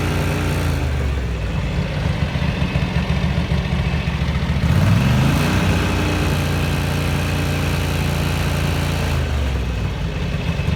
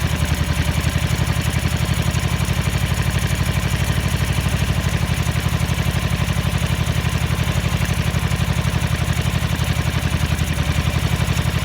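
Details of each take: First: 1983 Ducati MHR bevel-drive twin, 40mm Dellorto carburettors after vacuum-gauge balancing: even, steady beat with a brief throttle blip midway returning to a settled idle; carbs well balanced, normal idle. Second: 1983 Ducati MHR bevel-drive twin, 40mm Dellorto carburettors during balancing at relatively high idle: lumpy, loping idle with irregular beats about four per second, as if running on one cylinder; carbs out of balance.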